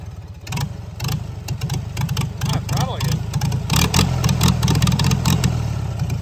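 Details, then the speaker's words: Farmall Super C tractor after replacing the throttle return spring in the governor, in neutral: a rough, loud idle thumping steadily at about three and a half beats a second with no miss. Normal idle; throttle now responds. "tractor a neutral it's an idle it's going to be a little loud"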